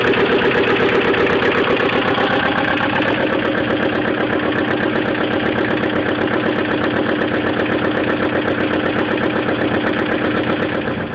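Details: 1998 Mazda Protege at steady idle with a sharp, even knock about four times a second riding over the engine note; a knocking fault somewhere inside the engine.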